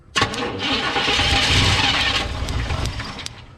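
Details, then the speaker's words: 2004 Tahoe (also called a 1994 Yukon) crank-no-start: starter spins steadily about three turns a second but never catches; spark confirmed, no fuel pump operation, corroded feed wire suspected; clogged fuel filter also considered. "all right we're good it's got spark it's got it's got a spark it's just not getting any fuel i think"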